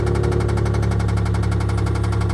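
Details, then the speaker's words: Turbo Chrysler LeBaron woody at auction, running. Heavy, even bottom-end knock about eleven times a second at idle; the transmission was briefly questioned, but a rod knock is suspected, not confirmed. "No. No. It sounds like a rod. Hold on. It sounded like it was going away as I was moving the shifter. Yeah, it goes into gear. Hold on. Hold on. Uh, no, man. It's It's got to be a rod, right?"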